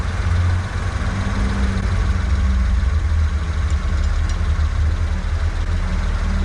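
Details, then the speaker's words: Japanese kei truck during inspection, idle previously set for altitude in Japan: slow lumpy low-pitched idle with heavy pulse; idle too low, being adjusted. "Sometimes they're really high and sometimes they're really low. So in this one, it needs a little adjustment."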